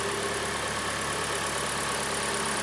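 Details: 2014 Kia Sportage G4NA, 71,000 km, heard from outside: steady, even idle, smooth and regular with no ticking or knocking from the top end; engine sounds healthy.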